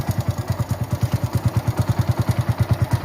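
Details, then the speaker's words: Hero Passion Pro idling right after a top-end (half engine) rebuild, exhaust silencer refitted; even thump about three beats a second with light clatter on top, tappet (valve) clearance still to be set. "देखो दोस्तों, गाड़ी start हो गई है। गया। आप आवाज सुनने के लिए आपको समझ आ रहा है। लेकिन टैपटि इत्यादि मिलान किया जाना बाकी है दोस्त हैं।"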